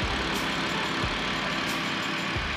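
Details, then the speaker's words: BMW 325i E90 rebuild, started after sitting in the driveway: earlier cold-start ticking went away after shutting off and restarting. Steady, even idle with a smooth hum and no ticking or tapping; engine sounds settled and healthy. "the ticking went away I just shut the car off I restarted it and no more ticking"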